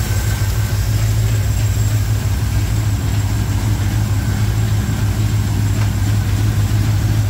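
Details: 1987 Chevrolet K10 squarebody 4x4, V8 warming up at idle on first start after head gasket replacement; deep, smooth, steady rumble, no ticking, knocking or stumbling. Normal idle.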